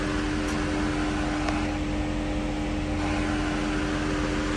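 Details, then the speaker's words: Mercedes SL500 at 46,000 miles with its ABC tandem pump replaced by a standard power steering pump, fluid topped off, steering wheel being turned: steady, even hum with no moaning or growling, so the new pump sounds healthy. "Turn that steering wheel, make sure you don't hear any moaning or growling from the power steering pump."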